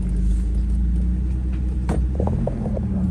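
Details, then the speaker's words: 1st-generation Toyota 4Runner after swapping in a factory electronic locking rear differential (4.30 gears, welded front diff and Spartan locker removed), test drive in 2WD on pavement through a sharp corner: steady rumble, no clanking, banging or tyre chirp; normal. "Currently on a test drive in this thing, so let's see on pavement how it does around a nice sharp corner now that we've got the diff swapped. No clanking, banging, you don't hear the tires chirping."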